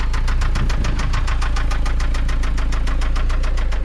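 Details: Toyota MR2 SW20 with 5S-FE engine at idle on its final drive before a 3S-GTE swap: a sharp, regular knock about three and a half times a second over the engine; a worn rod bearing, rod knock.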